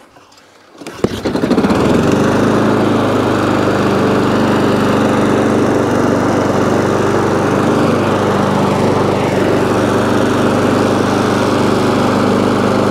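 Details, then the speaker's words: ATCO lawnmower, about 21-inch, Briggs & Stratton engine, after cleaning corroded HT lead: catches after a second then steady even buzz, no misses; runs, though it stops when drive released and throttle jammed, drive cable suspected worn or rusty. "so so so so it runs um however drive drive works but when you take the drive off it stops"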